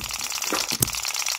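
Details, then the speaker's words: Microcosm M96 2cc model hit-and-miss engine after latch and spring tweaks; light valve clatter with occasional sharp pops and coasting gaps, good long miss cycle, some spark not quite reaching the plug, runs fine. "it's a pretty good long miss cycle there... we are getting a little bit of um a little bit of spark um not quite getting to the spark plug but it seems to be all right, right now"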